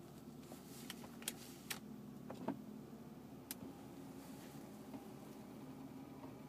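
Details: BMW E36 328i petrol engine idling with a low steady hum broken by sharp, irregular clicks about every second; owner guesses the fan, cause unconfirmed; intermittent ticking at idle.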